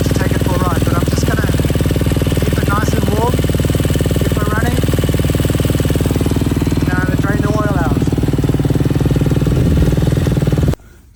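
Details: Freshly rebuilt KTM 250 SX-F single, run outside after oil top-up: steady even idle beat with no knocks or rattles before switch-off; no water in oil, runs virtually flawlessly; normal idle.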